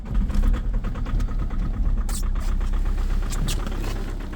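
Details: Diesel 2.0 HDi with EGR off, cold start at -5.1°C: loud, rapid, heavy knocking right after firing that eases slightly as it settles; cause suspected, not confirmed.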